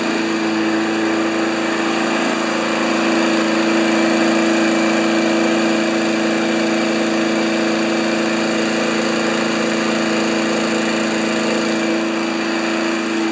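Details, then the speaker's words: 1992 Wedgefield Briggs & Stratton Classic walk-behind mower at full throttle, settable rpm lever set to about 3360 rpm maximum: steady, even high buzz at full governed speed with no hunting or misses; normal full-speed run. "all right so i don't know if you saw that but we set the rpms to 3360 on maximum because it's a settable rpm lever"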